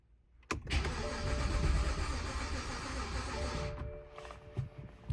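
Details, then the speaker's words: 2010 BMW 328xi Touring manual, stored a year: starter cranks about three seconds with a rough, uneven churn, then stops; never catches. Owner suspects bad fuel, not confirmed. "sounds like it wants to start but I don't know what should I do should I keep trying or let's go"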